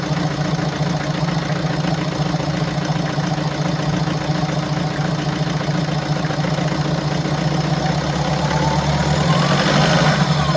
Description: In diesem Video hörst du das markante Geräusch unseres BMW 525d f10 aus dem Jahr 2017. Dieses Geräusch wird durch defekte Injektoren und defekte Drallklappen verursacht.